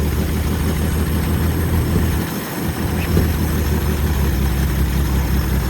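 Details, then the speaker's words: 1970 Ford Maverick V8 idling; loud raw puffing rumble from an exhaust leak. "running carburetor is the exhaust thing doesn't sound good."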